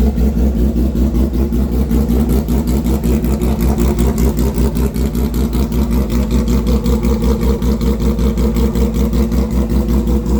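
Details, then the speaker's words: Custom 400 HP street motorcycle build, fired up with light throttle only: strong, even pulsing beat at idle with light blips that rise and settle cleanly; motor sounds healthy. "Alright guys, I can't gas this out too much, but as you can tell, the motor is definitely quite healthy. Sounds good."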